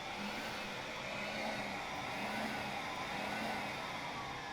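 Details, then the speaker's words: B5.5 VW Passat secondary air injection diagnosis for P0411/P0491: activating J299 relay via ECM output test, steady even electric motor whir with faint low hum comes on and holds. Secondary air pump running normally. "Okay, so we're testing this relay. It's a J299 relay, and this should make my pump come on."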